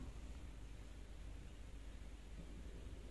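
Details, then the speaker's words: LG WD-M1070D6 front-load washer that showed an LE error, after replacing the motor sensor. A soft, steady drum whoosh with sloshing water and no harsh scraping or knocking: normal spin, and the error no longer appears. "alhamdulillah nggak ada lagi bunyi-bunyi yang kasar dan mesinnya berputar normal"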